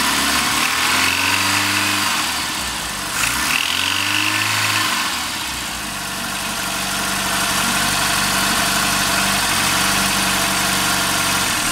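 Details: Rover Mini Cooper MPI petrol engine: a harsh metallic knock appears only as the throttle opens and fades at steady or falling revs; the source is unidentified. Metallic knock on acceleration.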